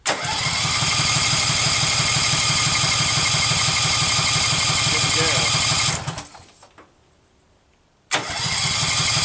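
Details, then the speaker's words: Case 446 garden tractor, first start attempt during restoration, fuel reaching the carburetor: steady even cranking at about three compression beats a second, never catching; owner suspects no spark, so it won't start. "sounds like a spark problem like I'm not getting any spark"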